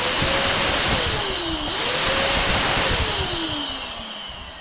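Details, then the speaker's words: Dyson DC08 vacuum after refurbishment, test-run with no filtration or air ducting fitted: very loud high airy roar with a thin whine whose pitch sags and recovers; excessive noise from running unducted and unfiltered. "turn it on, but of course it is incredibly loud with no filtration or air ducting in place."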